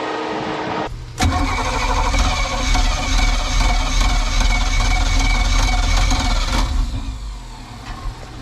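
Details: Sea Ray boat V8 that sat 17 years, cylinders soaked in ATF, started with gas poured into the intake: cranks, catches after about a second and holds a slightly uneven, lumpy run; low compression on cylinders five and six.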